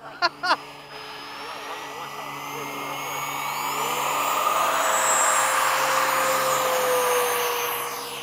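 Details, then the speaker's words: RC F-15 jet ducted fan spooling up before takeoff: smooth, clean whine climbing steadily in pitch and volume, then holding even; the reference for how the fan should sound, as the pilot's own fan sounds bad. "This is how it needs to sound."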